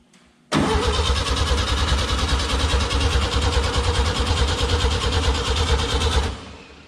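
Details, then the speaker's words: Volkswagen Beetle-based Model T kit car sat 30 years, coil unplugged; steady rhythmic cranking about six seconds with no firing because the fuel pump is dead and no fuel reaches the engine. "nothing so fuel pump is shot so we won't be able to do that"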